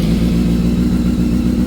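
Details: 2005 Honda CBR600 F4i four-cylinder engine idling steadily just after installing a keyless ignition system and starting it with the new button: strong, even low rumble with no misses or knocks; runs cleanly.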